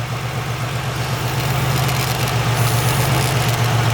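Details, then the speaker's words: 1996 Pontiac Grand Prix SE 3100 V6 idling after an AC compressor replacement with a new belt and battery. Steady idle with light, quick clicking, about four a second, from the PCV valve, plus a small exhaust leak at the back of the engine. "Got a little exhaust leak in the back of the engine. The PCV valve's clicking. You can hear it."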